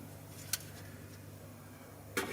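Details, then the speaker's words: 2005 Honda Pilot with bad transmission, shift solenoid actuated by scan tool: two sharp clicks about 1.5 s apart; bottom solenoid confirmed working by feel and sound, maybe slightly weaker. "Suspicion is confirmed. The bottom one is it. Because I can feel it and I can hear it."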